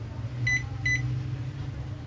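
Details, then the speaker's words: Philco PMS24 microwave after repair; it previously powered on but didn't heat and made a loud noise, and the magnetron was recovered. Now two high beeps over a steady, even low hum, with no buzzing. It runs normally. "há nada aqui a velha já não tá fazendo mais aquela zuada um micro-ondas tá perfeito agora ficou novo zerado"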